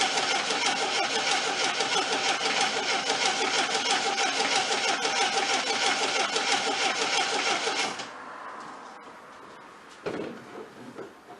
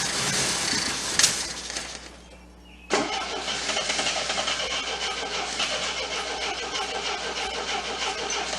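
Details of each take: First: 1979 Triumph TR7 with rebuilt carburetors from a parts car, fuel tank drained then refilled: steady, even cranking about three turns a second for eight seconds with no firing; fuel pump not picking up, no fuel to the carbs. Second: Abandoned 1979 Triumph TR7 fitted with rebuilt carburetors swapped from a parts car: after a short crank it fires abruptly and settles into a steady idle with a busy, ticking top end; engine starts and idles.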